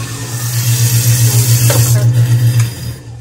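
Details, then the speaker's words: Newly installed American Standard half-HP garbage disposal running: an even, deep motor hum with steady pulsing of about four beats a second, winding down smoothly. It works normally. "here's the garbage disposal you can hear it grinding away everything seems to be working"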